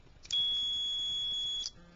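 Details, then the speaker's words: HVAC heating-system contactor (normally open, as on American Standard heat packages) bench-tested with 24 volts applied to the coil and a meter across the contacts: faint click then steady high meter tone as the contactor pulls in and closes; normal operation. "put my voltage on it here one side 24 volts and the other side you hear it close"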